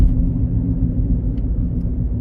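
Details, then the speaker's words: Ford Fusion Hybrid on a road test, customer complaint of noise from the rear: low, steady droning roar while rolling; bad wheel bearing roar. "hear that? That roar, roar, roar. So now, it's still there."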